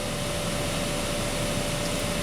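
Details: 2012 Honda Accord blower motor, key on, full blast, drawing about 15.5 A steady: loud even rush of air with faint constant whine, no rattle or ticking; blower running normally.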